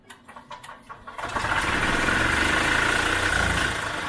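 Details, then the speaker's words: 1986 EZ Go Marathon two-stroke golf cart after carb float valve cleaned, fuel squirted into carb: a few cranking chuffs, catches within a second and settles into even, steady buzzing idle; runs, though motor mounts are shot. "we got a running golf cart the motor mounts completely shot right here but if we can at least drive it around then I can move on to fix and some other things"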